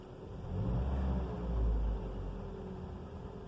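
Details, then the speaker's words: 2004 Toyota Corolla engine: continuous mechanical noise swelling with throttle and fading at idle; began before and persists after full rebuild (pistons, timing chain, tensioner, valves, VVT); cause unknown. "ver que ele aumenta e diminui quando acelera"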